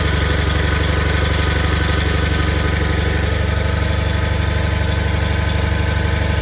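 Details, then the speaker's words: Cold Onan/Perkins-engined Case/Ingersoll tractor idling on half to a third choke for about a minute after a cold-weather start. It settles into a steady, even idle with firm, regular firing pulses and no misses or knocks, running normally while moisture clears from the exhaust. "normally I'll let them let them run choke for a minute or so you know half third choke and uh they'll start leveling out you'll hear them and then the moisture and the exhaust usually when that clears out they kind of warmed up"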